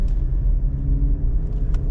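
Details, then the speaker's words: 2014 GMC Terrain driving about 40 mph: low steady rumbling growl under road noise from a bad wheel bearing, worse when turning loads one side and when slowing down. "kind of hear it growing around I don't know probably 40 miles an hour so can already hear it there I can anyway especially when you're turning you kind of load one side of that bearing"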